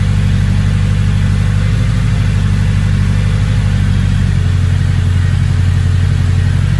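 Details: Engine with a big turbo, now idling a lot better, turbo not spooling: steady, fairly even idle with a firm low burble, no hunting or stumbling; no check engine light, good oil pressure, normal.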